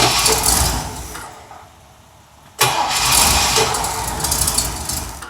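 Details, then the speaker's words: Mercedes petrol engine fires up and settles into a steady, even run, a clean healthy start, after coil repair; an exhaust leak at the manifold stud remains unfixed. "Very nice. Very good. Okay, the doctor has this running well, this is running well"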